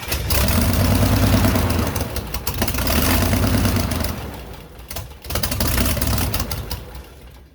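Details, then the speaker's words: Airboat engine on its very first start, rough with uneven surging bursts and sharp pops, backfiring up through the carb; at first thought to be timing or an intake leak, the cause was water in the oil. "So after I was able to get it started, I was having issues with it backfiring up through the carb."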